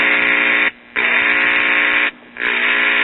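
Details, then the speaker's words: 1955-'56 Crosley hybrid tube/transistor radio during restoration: steady coarse speaker buzz when touching the volume control center, cutting out twice then returning, showing the audio amplifier stage works. "That's very promising. The audio amplifier stage is working."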